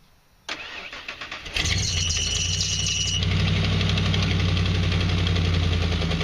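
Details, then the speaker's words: 5.8 L engine ("Big Baby") started on its own regular battery for comparison after jump-start testing: starter cranks about a second, catches cleanly and settles into a steady, even idle; healthy start. "Just for a comparison aspect, I'm gonna kick over Big Baby on its regular battery just so you can hear the difference."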